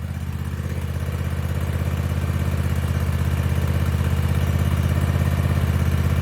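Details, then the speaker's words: 2021 Cub Cadet ZT1 50 zero turn mower after replacing an overstretched deck belt that caused deck shaking and noises; steady even drone with blades engaged, no squeal, clatter or excessive deck vibration; running normally. "but that is now behaving normally I don't see the excessive vibration in the deck I don't hear the funny noises I was hearing"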